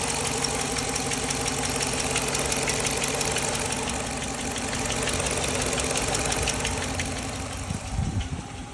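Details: Dodge Charger 5.7 Hemi V8 idling with a light, fairly quick ticking, about three a second, over a steady hum; live data shows no misfires, cause unknown.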